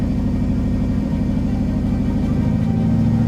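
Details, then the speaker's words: V8 engine after replacing all eight badly worn spark plugs, check engine light still on and some shaking at idle: steady idle with rapid ragged puffing tick about two per second on the exhaust note; exhaust leak. "can for sure hear the exhaust leak."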